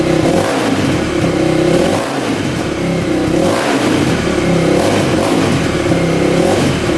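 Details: 2000 Yamaha WR400 single-cylinder four-stroke dirt bike running after repair: failed stator (coils 1 and 2 open) replaced for no-spark, engine rebuilt for no compression; revs up and drops back cleanly, even, no knocks or misfires, starts every time; healthy.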